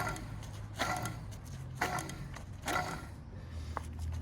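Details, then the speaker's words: 2010 Mazda3, 2.0 L, front left hub spun by hand with the disc removed: low buzzing rumble with gritty rattling bursts about once a second; vibration had grown louder when turning right. Worn front wheel bearing, to be pressed out and replaced. "i don't know if you can catch it but hear the noise that's our buzzing sound look at that"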